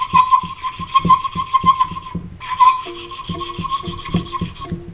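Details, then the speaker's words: Hand-lapping valves on a 360ci engine head for a 2002 Ram rebuild: rhythmic gritty back-and-forth rasp, sound changing as fresh coarse grinding compound wears finer; valve lapping. "You can kind of hear the sound change. This grinding compound is made to start out at a kind of coarse grit, and as you use it, it wears into a finer and finer grit."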